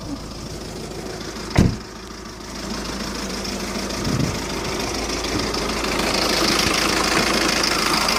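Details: 2007 Skoda Octavia vRS PD TDI 170 diesel at tickover, stumbling unevenly with a loose irregular knock while the engine rocks and streams unburnt-diesel-smelling smoke; rough running and poor performance, owner suspects an injector problem.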